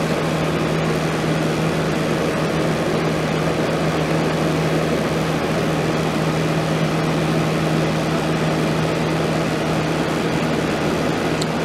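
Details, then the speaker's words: 1989 Crest (Fedders) 5000 BTU Carry Cool portable AC just started, cleaned and fan motor oiled: steady even roar with low constant hum, no knocks; compressor and fan running smoothly, still below rated wattage. "So it's not quite running at its rated wattage yet, but I'm sure when that compressor gets a little head on it, it'll come up there a little bit."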